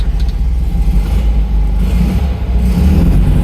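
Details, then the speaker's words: Classic Fiat 500 after engine removal and spigot bearing replacement, clutch in and in gear: low steady rumble, no whirring or chirping; earlier noise gone, normal clutch-in idle. "no noise no noise noise no noise no noise no noise at all I'd say that was fixed"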